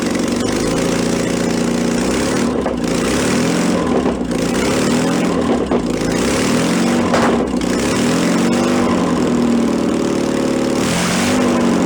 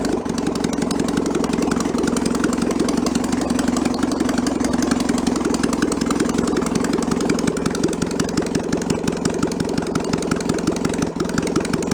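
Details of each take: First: 1966 VW bus engine from a barn, restarted on fuel primed into the float bowl, automatic choke still warming. It runs fast and uneven, pitch rising and sagging. The carburetor throttle is sticking and not returning. Finding: fast idle from a sticking carburetor throttle. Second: 1966 VW bus engine, removed and found in a barn, test-run out of the vehicle with the carburetor still needing a rebuild: even, rapid putter at warm-up idle, no misses; the choke stepper turns off as it warms and idle drops lower and lower. Normal.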